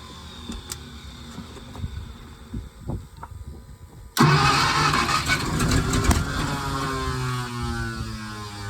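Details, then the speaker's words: 1951 Packard straight-eight, sat 30+ years, grounded points wire fixed, 6-volt car, fuel sprayed into carb: slow uneven cranking then a loud rough sputtering burst; won't keep running, spark loss suspected after starter disengages. "Trying. It wants it. It wants it. Can't tell if it's losing spark once the starter disengages."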